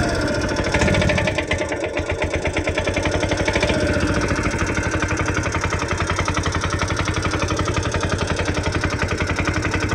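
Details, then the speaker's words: TVS King that would not start, running after the injector was cleaned and fuel flow confirmed: crisp, even firing beat holding steady after a brief blip at start-up; runs cleanly and sounds healthy. "So paandarin lang natin. So ayan okay na siya mga lods."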